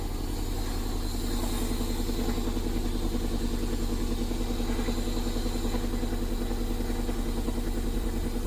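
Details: Toyota MR2 JDM classic being restored, after fuel pump relay and pump testing: even, steady idle with a regular low beat and no knocks, misses or hunting; engine settles and holds speed smoothly.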